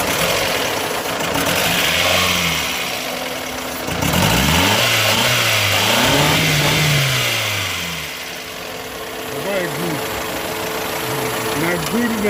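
Engine revs up and down smoothly through several blips, then drops back to a steady idle with no misses or knocks.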